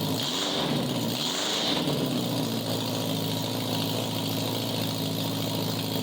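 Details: 1987 Honda Gold Wing GL1200 with electrical issues: intermittent cranking, exhaust backfire at key-off; carburetors semi good. Loud open-pipe idle blips up twice, then settles into an uneven, slightly stumbling beat; rough idle, cause unconfirmed.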